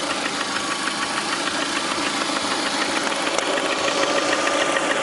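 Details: Lada Priora with 21126 engine at steady idle: fast, fairly even light tapping, about three knocks a second over the engine hum; knock at idle of unknown origin.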